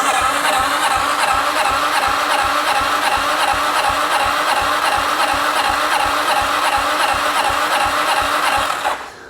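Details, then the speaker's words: 2009 Arctic Cat DVX 300 ATV, long stored: even, light starter cranking under three beats a second during compression test, reading only about 10 lb higher after retest; low compression, bad rings or stuck-open valve suspected pending leak-down. "Could be a valve stuck open. We don't know yet till we do a leak down."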